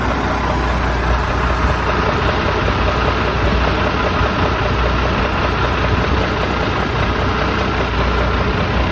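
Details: 1987 Ford LN9000 house-moving/wrecker truck, diesel, just revived after sitting in a field about 20 years: loud, deep, steady rumble at idle with no knocking, misses or hunting; healthy idle.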